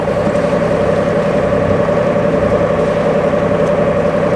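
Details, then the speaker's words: Boat engine with gearbox remounted, running at steady speed: faint uneven whir still present, the strange gearbox noise remains; cause unknown, owner considers lifting to inspect beneath. "let's start it up and see sounds a bit strange still ah that's a shame"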